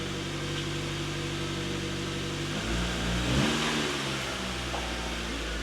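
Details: Mazda Miata NB after pilot bearing, throw-out bearing, fuel pump and filter replacement, first start while reversing: even idle dipping slightly as clutch takes up, no chirp, squeal or grinding; clutch engages cleanly.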